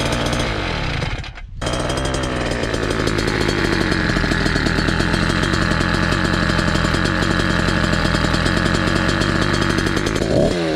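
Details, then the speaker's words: Motorized bicycle two-stroke with cheap chainsaw pumper carb, tuning start with low screw 1 turn and high screw 2 turns out: raspy buzz stays fast and steady instead of dropping to slow idle; idle set too high, needs idle adjustment. "RPM drops pretty quickly. Idle is getting high, so I need to adjust the idle."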